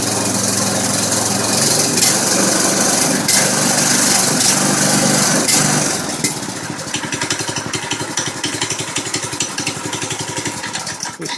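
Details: Baja MB200 dirt bike, 6.5 HP single-cylinder, test run after torque converter installation: engine revs loudly, then drops to a steady, even putter of about four beats a second, no knocks or rattles; normal running.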